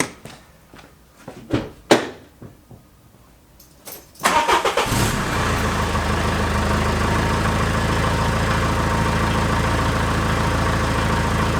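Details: Peugeot 306 Meridian 2.0 HDi diesel, stage one, on the original rusted exhaust: cranks and catches, then loud raspy puffing idle; exhaust blowing in many places, before replacement with stainless system.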